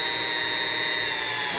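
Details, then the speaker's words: Vintage Sunbeam Mixmaster Model 9 before restoration, after sitting a long time, with the speed control very hard to turn: steady high motor whine with a rough, laboring drag from old hardened grease. "like it's Dragunov this though and the speedcap is extremely hard to turn here but I think that maybe all just signs of sitting around"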